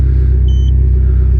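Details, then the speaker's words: Mitsubishi Evo 10 after MIVEC delete cam gear install, warm, with solenoid unplugged throwing P1025, before revving. Deep, steady idle rumble with an even pulse and no tick or miss; the car is fixed. "sounds good imagine that it's not all [ __ ] up anymore wow well even though jared didn't believe in me the car is fixed"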